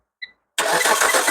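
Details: Car started by applying power directly to the fuel pump and starter wires with the relay removed, using a test pen: short chirp, brief pause, then the engine catches at once and runs steadily; normal start.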